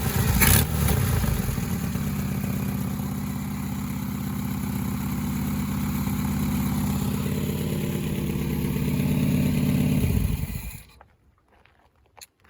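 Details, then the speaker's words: 1971 Fiat 124 Sport Spider, not yet at operating temperature, idling around 1,000 rpm, heard at the engine bay: loud, raspy idle with fast steady chuff, then shutoff; exhaust manifold gasket has a hole in it. "Yeah, as you can hear, it sounds pretty loud because of that exhaust manifold gasket, but"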